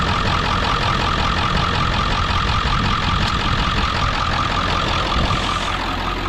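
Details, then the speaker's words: Ford F-550 4x4 with 7.3 diesel and 6-speed manual, idling in neutral: steady, even clatter with no uneven rattle or surging, judged a healthy 7.3; blow-by check at oil cap shows slight steam, no exhaust smoke. "solid it sounds like a healthy 73"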